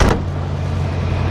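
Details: Barn-find 1977 Lincoln Continental Town Coupe, parked for years, just fired up: smooth, steady low V8 rumble with even firing, no knocks or misses, not smoking; running cleanly.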